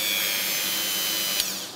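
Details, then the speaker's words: Ryobi rotary engraver running while laid on its carry case: a high, steady buzzing whine as it rattles against the case, then winds down. Noticeable vibration, considered acceptable for such high revs. "вот кстати по поводу вибраций можно я думаю проверить вот таким образом вот я сейчас положу на чемодан и будет слышно как вибрирует мы так сказать привод"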